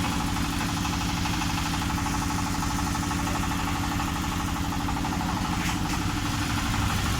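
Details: Honda Vario 125 scooter idling evenly with a smooth low thrum, no knocks, misses or surging; running cleanly after replacing the throttle position (TPS) sensor and fixing the faulty temperature sensor that caused hesitation at mid and full throttle.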